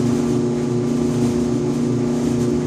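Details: Electrolux EIED55H dryer, 5 years old: loud buzzing and vibration every 45 to 60 seconds, steady low hum with coarse buzz and shudder; caused by failed blower assembly 134690800, fixed by replacing it (motor bracket 134707400 also replaced).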